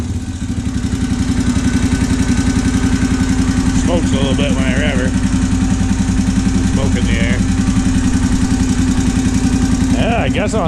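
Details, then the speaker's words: Honda 650 single-cylinder, top end: steady idle with hollow quacky tapping riding each firing beat, three or four a second; intermittent knock, suspected piston or valve area, maybe tight valve lash, unconfirmed; valves and timing chain to be checked. "ll the way down at the crank sounds like in the Piston or the valve area H should check the valve lash and make sure one's not screaming tight hitting the piston it's weird that it stops though and then comes back"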